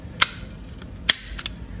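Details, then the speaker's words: New door latch actuator on a C6 Corvette after replacement, closed then released via the car's switch: two crisp, sharp clacks under a second apart; latch snaps cleanly and releases properly. "close it, open the door, boom, down. Here we go, that's a good one."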